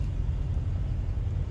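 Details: Old hot-rod shop truck on the road after replacing two bad bushings; a stubborn front suspension clunk stopped on its own: steady low road rumble, no clunks or knocks; normal front suspension.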